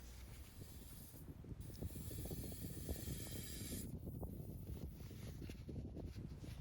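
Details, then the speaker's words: Lexus LX470 / Toyota Land Cruiser 100 Series AHC globe replacement: bleeder screw cracked open with vinyl tubing attached, soft hiss and faint bubbling crackle as fluid leaves the suspension globe and the truck lowers; normal bleeding. "that's what it sounds like when the fluid is leaving the globe and the truck starts to lower."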